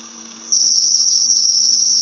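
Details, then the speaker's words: Intermittent squeal from a dry rolling bearing, energy concentrated around 5–6 kHz: a piercing high squeal switches on and holds, on and off. Likely lubrication breakdown; adding grease should make it disappear. "it's really on and off on and off okay and if you have the chance to lubricate the bearing with some with some additional grease most probably you will notice that the noise will disappear"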